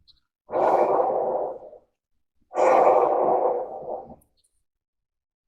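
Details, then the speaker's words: Flatbed trailer wheel hub spun by hand during maintenance, no play: rough rushing whirr fading as it slows; bearing sounds dry, possibly short of grease. Cause suspected, not confirmed. "sounds a bit dry"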